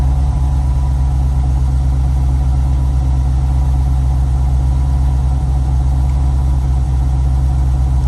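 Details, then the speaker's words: 1989 C4 Corvette TPI after fuel pump module replacement, second start at about 124 degrees (first run possibly priming the rail): a deep, steady, even idle with no misses or knocks. Normal idle. "okay it's better maybe it was charging the rail the first time let it run for let it run for a sec"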